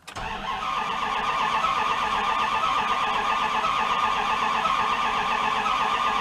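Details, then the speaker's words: 1997 fuel-injected Dodge Ram pickup parked four years with misfire issues: starter cranks at an uneven beat, one cylinder catching now and then without picking up; no start, low fuel suspected, no fault codes. "it's trying huh I feel injected she'd have to give any gas let's see it kicks on one doesn't it"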